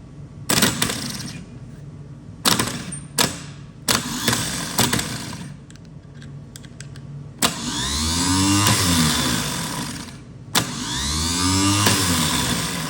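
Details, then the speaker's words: Old starter on a 71–72 350 in a split-window Corvette coupe unused for 30 years, jumped by shorting the solenoid connection; a few clicks then two clean whirring spin-ups coasting down smoothly, starter running normally. "So the old starter motor does run after 30 years. Very surprising, but I'm happy about that."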